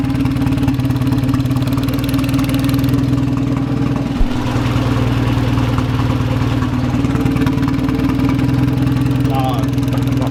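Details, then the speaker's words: Golf Mk1 4Motion AWD turbo engine running again after work: steady idle with fast ticking puff on the engine beat; owner suspects an exhaust leak at the gasket between manifold and turbo, around one of three bolts. "the um is leaking exhaust and it seems like it's between like the gasket between the manifold and the turbo"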